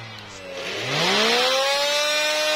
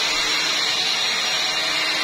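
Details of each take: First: Electrolux Ergorapido 2-in-1 Allergy cordless vacuum spins up to an abnormally loud, shrill whine, then settles to a slightly lower steady pitch when switched on. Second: Electrolux Ergorapido 2-in-1 Allergy cordless stick vacuum after a misassembled part was refitted correctly, previously noisy: steady, even airy whoosh, running smoothly with no rattle or knocking.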